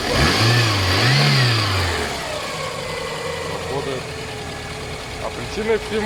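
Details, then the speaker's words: VAZ 8-valve engine revving with a dull repeated knock; the crankshaft pulley key had sheared and the damper rotated fully, wearing one spot; the engine also stopped revving. "Вот такая спонка. Ее отломала. Провернулся демпфер, как видно, вот он. Полностью повернулся. Ну и она перестала газовать. Она же и стучала."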